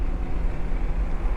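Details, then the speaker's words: Acura NSX on track at The Podium Club, under hard braking: fast rhythmic low-frequency throb over engine and road noise, felt in the pedal like ABS pulsing; suspected cracked front brake rotor shudder. "it just sounds like a little like rhythmic fast you know low low frequency uh vibration you could hear it probably just there and so could I I can also feel it in the pedal"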